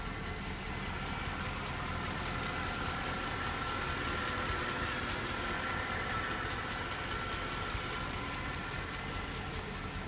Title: E63 ticking noise